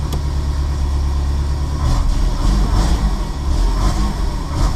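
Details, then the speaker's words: Renault Super 5 1.1 Turbo with GT2871 turbo, ignition timing just set: cold engine on choke gives a deep, steady, even rumble at raised idle, likened to an American V8; normal cold idle on choke. "il est froid là si je lui met le starter on dirait un un moteur américain un V8"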